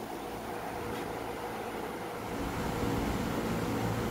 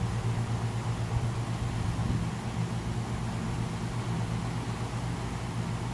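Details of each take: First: 460 V single-phase, quarter-horsepower rooftop condenser fan running during troubleshooting with the relay terminals swapped: a steady, even whoosh with a low hum and no knocking or scraping; the fan runs normally here. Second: Rooftop commercial condenser unit, relay terminals swapped while testing: outdoor fan keeps running with a steady low drone and even air rush despite no call for cooling; relay suspected stuck closed, capacitor known good.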